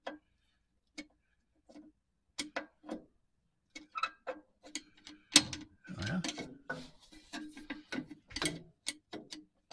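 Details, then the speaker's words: 1949 Chevy 3100 pickup, Huck drum brakes being adjusted during 3000-mile maintenance, wheel spun by hand in a quiet shop: scattered light scraping ticks as the shoe starts dragging on the drum, until the wheel barely spins. "there you can hear that it started dragging some more I can still spin it a little more now I can barely spin it"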